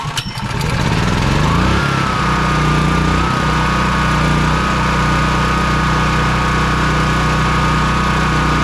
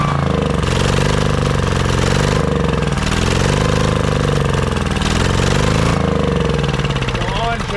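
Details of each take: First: Honda EB3800X generator, GX240 8 hp engine, new carburetor after it wouldn't run off choke; sticking governor freed, speed set for about 125 volts, near 60 Hz, no load: catches, settles into smooth even governed hum, no hunting; normal governed idle. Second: Honda EB3800X generator, GX240 8 hp engine, won't start or stay running: engine speed wavers and hunts, barely staying running on choke; rough running on choke from the bad carburetor, later replaced.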